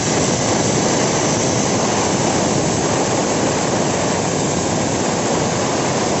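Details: Bosch GWS 7-100 angle grinder repaired after being completely dead, carbon brushes replaced: steady, high rushing whir at one even speed, no surging or crackle; running normally.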